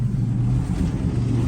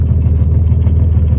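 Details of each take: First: Deep, steady low rumble with a brief rev and clean return to idle; the factory 305 V6 in a 1967 GMC half-ton pickup runs smoothly and evenly, first start after sitting for 20 years. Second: 1967 GMC C1500 half-ton with factory big-block 305 V6 gasoline engine, running after sitting 20 years, exhaust note at low lumpy idle with steady beat and odd uneven pulse; slight misfire, owner thinks it needs a tune-up.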